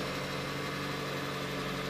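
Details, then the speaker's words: 2004 VW Jetta, BBW engine, steel tank, after fuel pump and filter replacement with the pump cap loose and unsealed. A faint, even, steady buzz over a quiet idle with no whine or surging. The fuel pump runs normally. "you can kind of hear it buzzing down in there it's not very loud at all"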